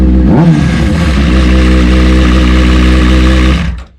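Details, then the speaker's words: Honda CBR600RR stunt bike with a bad clutch basket and a new aftermarket tensioner fitted: it fires and revs briefly with a rattly mechanical clatter over the exhaust on startup; owner unsure of the cause and plans to remove the crankcase cover again. "I don't know why it's doing that it shouldn't be doing that at all but now I feel like I gotta go and take the damn crank cover case uh close case cover off again and figure out why the hell is making that noise"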